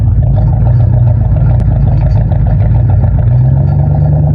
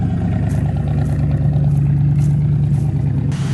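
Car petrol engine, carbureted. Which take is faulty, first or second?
first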